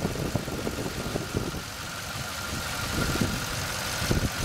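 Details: 2006 Toyota Tundra 4.7 V8 after secondary air valve repair (codes P1441, P2440, had limited RPM and speed): even, steady idle with smooth low rumble, no knocks or misses, no fault code afterward.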